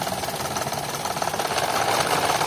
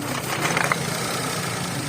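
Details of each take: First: 2011 Toyota Vitz idling rough with irregular pulses about three a second, engine light blinking, code P0303 cylinder 3 misfire; cause was cylinder 3 fuel injector pulse wire connected wrongly/swapped, fixed by correcting wiring. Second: 2011 Toyota Vitz petrol engine idling smoothly and evenly after repair of a P0303 cylinder 3 misfire, caused by a broken wire at the coil connection; check-engine light gone.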